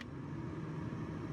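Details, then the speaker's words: Nissan Note automatic, new heater blower motor just fitted, on the lowest speed setting: steady, even low whoosh and hum with no rattles or squeaks; blower operates normally. "So, when I put power to the car and switch it, don't know if you can hear that. It's working. Okay, it works on one and"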